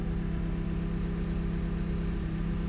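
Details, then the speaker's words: Caterpillar 910M wheel loader diesel with the hydraulics pushed over relief: steady diesel drone with a low, even hum and a higher tone on top as the hydraulics load the engine; normal. "and I feel it you here go over relief you can hear it huh yes here it is"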